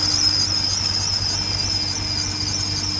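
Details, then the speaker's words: 2001 BMW 540i six-speed E39 V8 running: thin steady high squeal around the alternator, power steering pump or serpentine belt tensioner pulley; water on the belt silences it 3–5 minutes; cause not confirmed. "it's a very annoying squeak I will let you listen to it now it sounds like it's coming from somewhere right down in that General vcinity uh around the alternator uh around the power steering pump or the uh belt tensioner pulley uh for the main serpentine"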